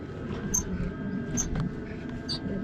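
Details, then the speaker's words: Volvo FH truck cab squeak heard from inside under the panel. Driver first suspected the sun visor, then thinks a cab shock absorber is the cause, not confirmed. A high, thin squeak repeats about once a second as the cab rocks, over a low rumble. "Внутри что-то там под панелью пищит я думал может быть козырек пищит"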